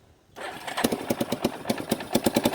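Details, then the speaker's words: 1989 Yamaha Big Bear 350 single-cylinder ATV, revived after sitting 10+ years, started cold on half choke: a little throttle makes the engine stumble and chug unevenly; it dislikes throttle but idles well. "See, she takes a little throttle. Oh, she didn't like that."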